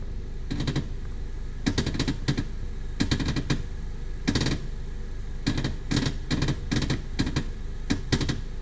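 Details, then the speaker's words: 2013 Dodge Dart with manual clutch: groups of sharp clicks and clunks from the front steering as the wheel is turned; common issue on these cars, the struts were not the cause, source unconfirmed. "yeah, that's not supposed to happen. So that noise is pretty common issue on these cars."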